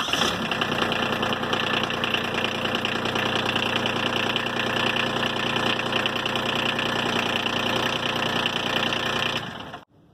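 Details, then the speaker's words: Kubota RTV after replacing the failing starter and cleaning a corroded battery terminal: catches in about two cranks versus four or five before, steady even clatter; healthy easy start. "that started up actually easier than with the other starter. The other starter, I mean, this one only cranked about two times."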